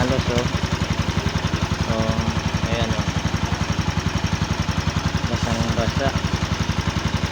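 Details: Motorcycle that would not start, now repaired after a clogged carburetor and worn spark plug were found: steady, even single-cylinder putter at about 220 beats a minute, no misses or knocks, a healthy small bike idle.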